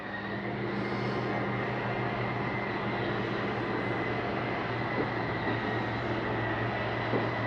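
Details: 2021 Columbus 378MBC RV, bunk room slide-out being brought in; steady even electric motor drone with constant low hum, no strain or knocking, slide motor retracting normally.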